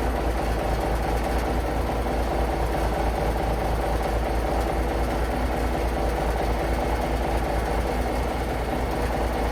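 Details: International Paystar diesel idling after the radiator rebuild with new gaskets; steady low thump around two per second, no knocks or misses, air building to about 70 lb, running beautifully, no leaks; normal idle.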